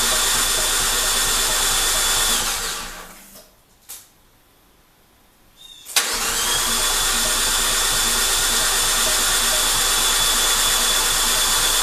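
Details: Fiat 500 Abarth engine swapped into a Dallara, unrun for over six months: the starter whirs steadily without firing, pauses, then churns on; it sounds low on compression while the empty fuel rail primes.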